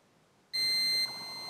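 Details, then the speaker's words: Manta SPK15GO Bluetooth speaker mainboard, multimeter continuity test on the lower capacitor: a sharp, steady high beep the moment the probes touch; dead short across that capacitor. "zwarcie staram się teraz tą płytkę jak najmniej ruszać"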